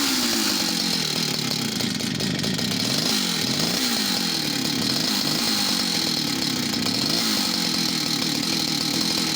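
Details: West German Stihl 041AV project chainsaw, two-stroke: idle drops and recovers every second or two, hunting and bogging as if over-fuelled after throttling; owner suspects clutch, main jet not seating, or an inlet manifold air leak.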